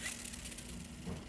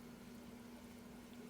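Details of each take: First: Curado DC baitcaster reel about 4 years old, part of its handle lost, before cleaning: cranking gives a quiet, steady, sandy grinding with no smooth spin, from dirt and grime packed inside; gritty reel from dirt buildup. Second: Curado DC baitcaster reel about 4 years old, after cleaning off dirt and green muck: a quiet, even whir as the handle turns, no grinding, clicking or catching, much smoother; normal reel retrieve.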